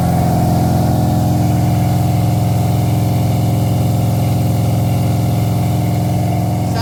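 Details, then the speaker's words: Freshly built small-block "Pontiac" 327 V8 during break-in, at 190–200° with solid 50 psi oil pressure: a loud, steady, even fast idle with no knocks or ticks. Normal fast idle. "like a Pontiac breaking her in man she's loud"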